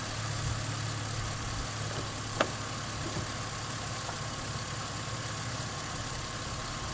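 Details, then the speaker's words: 2005 Ford Mustang after engine rebuild and retiming, new fuel filter, first start after rebuild: steady low even hum at settled idle, no knocks or misses, no dash lights; smooth, healthy. "I got no lights on the dash. Hell yeah, guys. It's smooth. Really smooth. Sounds real nice."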